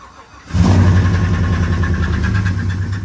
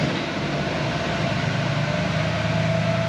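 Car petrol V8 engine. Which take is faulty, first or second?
first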